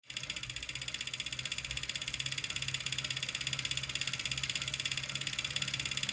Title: Clicking Noise Kickr Core